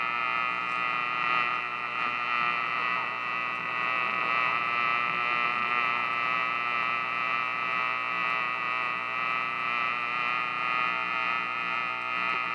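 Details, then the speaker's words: Buzz from the dial lamp, not the audio circuit, on a 1950s Silvertone AA5 clock radio, steady and even over faint DX reception from KCBS; tubes being substituted (12BA6, 12BE6). "that buzzing is the light so you test this damn thing and it tests fine"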